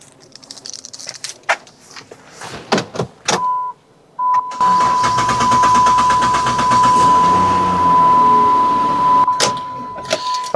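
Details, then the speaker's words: Chrysler/Dodge/Jeep van (about 2010 on) crank-no-start: starter cranks steadily for several seconds under a steady chime but the engine never catches; blamed on a failed fuel pump relay under the smart junction box. "Sometimes it'll crank for a long time and then start. Sometimes it'll crank and won't start at all."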